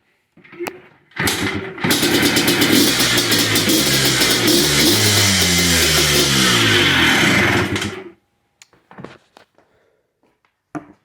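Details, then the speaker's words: 2005 Yamaha Blaster two-stroke after a full TORS bypass (CDI/TORS yellow-black wire grounded to engine) cured its no-rev bogging; it fires up and revs climb and fall cleanly through several blips, running normally. "I'm going to start it up one more time for you and show you that it revs up and it works really"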